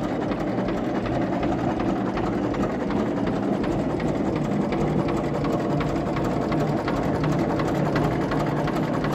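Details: 1934 Deutz F2M315 tractor with 25/28 HP two-cylinder water-cooled Deutz diesel, first start in 10 years after a few failed attempts; fast, even clattering beat holding steady at idle with no stumbles or surging; idling cleanly.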